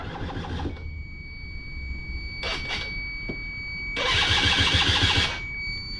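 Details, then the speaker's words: Yamaha Zuma moped with a badly gunked-up carburetor, started from a battery pack: small two-stroke catches and buzzes briefly, dies, then fires about a second and cuts out under a steady beep. Owner says the dirty carburetor makes it start, idle briefly, then stall. "so this is how you can tell the cardboard is dirty because it starts up and it idles for a little bit right"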